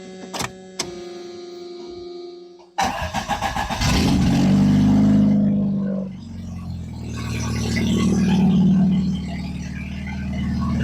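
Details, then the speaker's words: Plymouth Sundance after fresh tune-up, timing belt and water pump: brief cranking, then loud but steady, even running with no knocks or misses; earlier cut out when revved, vacuum leaks remain; normal start and idle. "Loud but smooth. I don't know how obnoxious it is to you guys, but sounds good. Yeah, she's obnoxiously loud. However, runs fine."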